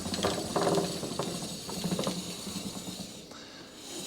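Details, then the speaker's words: Atco Balmoral cylinder mower roller after stuck-roller repair (gear refitted, greased); light irregular ratchet clicks spun by hand, no grinding or binding; freewheels normally. "And now it should freewheel. There you go. Free wheels with no obstructions."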